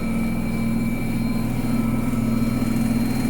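Loud steady low rumble with a constant droning hum, like a heavy engine idling; the machine runs unusually noisy, cause not identified.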